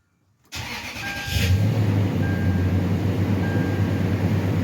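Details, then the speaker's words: Toyota Sequoia V8 first start after valve cover gasket and brake caliper job: short starter whirr, catches at once and settles into smooth, even idle, no misses or ticks, no check engine light; normal start. "start it right up no issues at all sounds good no check engine light indicating that i left something unplugged accidentally so everything's looking pretty good"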